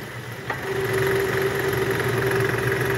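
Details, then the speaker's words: 2008 Toyota Camry XV40, 2AZ-FE engine, with AC on and shifted into R around 1000 rpm: a rough snoring growl with a droning tone that disappears in neutral, traced to the belt tensioner. A separate knock comes from a worn balancer shaft. "bunyi ngorok dan bunyi cikciik cikciknya itu udah kita analisa juga dari Tensioner nih guys"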